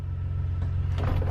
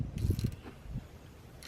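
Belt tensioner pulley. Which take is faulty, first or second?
second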